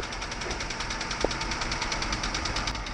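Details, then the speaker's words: 1965 Ford truck due for a tune-up at idle: quick even ticking about ten per second over steady idle; valves ticking badly, suspected not confirmed. "You can hear the valves ticking bad in this thing."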